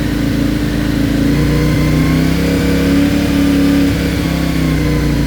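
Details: CFMOTO IBEX 450, warmed up to 180, cruise control holding 3500–5500 rpm on stock ECU before tune: engine note dips and jumps unevenly, surging and jerking instead of pulling steady.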